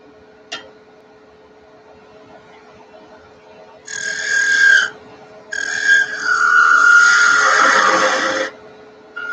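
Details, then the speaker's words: Woodturning on the lathe: a high, steady squeak comes in bursts during the cut as the thin workpiece flexes and the gouge rides up off the bevel, so switching to a smaller 3/8 detail gouge. "you start to hear that little high-pitched squeaky sound that means it's sort of flexing I'm coming up off the bevel event so I'm gonna switch to my 3/8 detail gouge which is a lot smaller of a tool"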